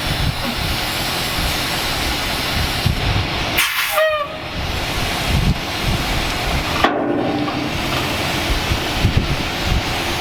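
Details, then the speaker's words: 36-year-old 1986 Ford dump truck running: steady loud hiss of escaping air with short sharp bursts, losing pressure with brake light on; a broken air line under the truck bleeding off air brake pressure. "sounds like we lost an airline or something for losing pressure and our brake lights on"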